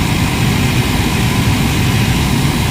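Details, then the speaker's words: Mahindra XUV500 AC blower motor on the bench after debris cleaned from the rotor and jammed brushes freed: loud steady roar at constant speed because the new brushes are not yet seated on the commutator; should quiet as they wear in. "तो अभी आप देख सकते हैं कि rocket की तरह इसका आवाज है। हसने के बाद यह अपनी लाइन पे आ जाएगा।"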